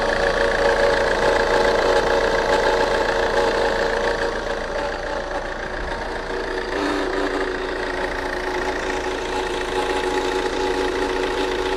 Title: Saab 9 3 Strange Engine Noise